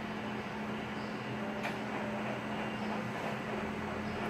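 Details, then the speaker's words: Photocopier running a copy at 195% enlargement: a steady, low-pitched droning squeak rides over the even running noise throughout the copy run. It is running rough and the cause is not pinned down. "This photocopy is running rough. Doesn't sound good at all. You hear that low-pitched squeak. It's like a squeak, but it doesn't sound like a squeak. But it's a low-pitched squeak, you could call it."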